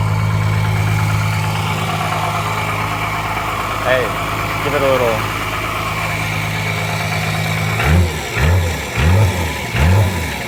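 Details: 12-valve Cummins diesel just started after nine years sitting, rat's nest blown out: steady low idle clatter, quick throttle blips climb and drop back cleanly; runs good, injection pump seems a little sticky, improving.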